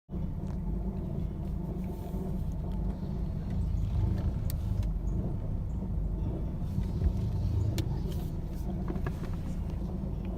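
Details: 1985 Mercedes 190E petrol engine idling: a deep, uneven rumble that wavers instead of holding steady. Cold after sitting overnight in the first clip, hot in the second. Rough idle.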